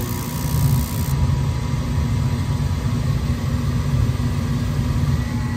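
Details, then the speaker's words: Old Goodman rooftop gas furnace fired up after replacing a cracked heat exchanger and cleaning the burner, flame sensor and igniter, inlet gas 7.59: steady even roar, no bangs or puffs. Flames yellow from dust. Normal burner operation. "right, so we got ignition. The flames are yellow just because of all the dust."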